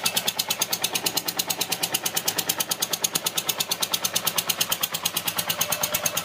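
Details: Yamaha TDM 850 4TX motorcycle engine at idle: sharp, regular ticking about three per second over the idle, a distinct mechanical tap from the engine.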